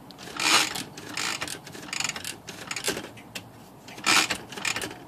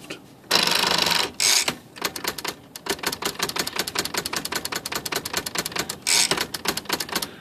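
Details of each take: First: Smith Corona typewriter without silencer, whose carriage would not latch and flew to one side: dry clattering and raspy grind as the carriage spaces, from the power spacer; cause not yet found. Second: Smith Corona typewriter after repair of a sticking part and adjustment of the power spacer (the carriage had not latched and flew to one side): crisp, evenly spaced key strikes, clean carriage steps and a short spacer whir. Normal typing and carriage spacing.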